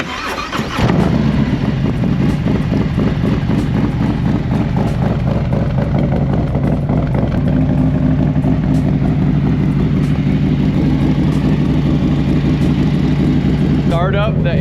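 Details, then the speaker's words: 2024 Harley-Davidson Road Glide M8 after new Feuling cam, exhaust and bolts: V-twin fires up promptly, holds an even loping idle with deep, louder, beefier exhaust beat, no mechanical clatter; engine quieter than before. "up, the engine's already quieter. Exhaust It's louder. is beefier. Yeah, dude, it sounds so good."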